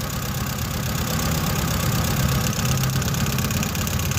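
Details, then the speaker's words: 2016 FAW XPV at idle: uneven idle with an irregular stumble and low knock. The third spark plug wire is leaking current, causing the misfire; plugs to be changed. "तार जो है ना वो current मार रही है यह देख रहे हो फ्रेंड आप र जो है इसकी करट मार र"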